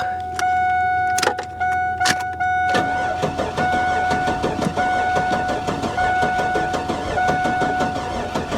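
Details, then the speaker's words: Buick Electra Park Avenue bought from a salvage auction: cranks then sputters and stumbles with uneven firing, missing on several cylinders; misfire, owner suspects a blown head gasket. "she's not firing on all cylinders at all not even close i'm gonna bet blown head gasket on this one"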